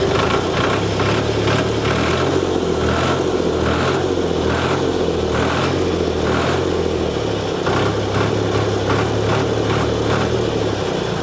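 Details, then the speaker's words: Tractor Perkins diesel engine, battery clicking but not starting, jump-started with a portable jump starter: steady even low chug with regular firing, no knocks or misses; normal idle. "There she is. Look at that, it can start a Perkins engine. Oh yes it can."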